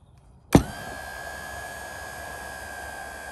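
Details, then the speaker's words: GE GDF530PGM0WW dishwasher wash pump run directly from a test harness: a click, then a smooth, steady motor hum with an even tone and no rattle or grinding; the wash pump operates normally. "so I'm going to introduce power now and we'll see the wash pump turns"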